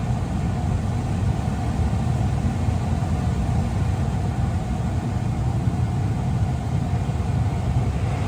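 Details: 2022 Tesla Model 3 rear-wheel drive with heat pump, very warm day, defrost on, heard from outside: steady low hum with an even airy rush, no rattles, squeals or cycling; heat pump running normally.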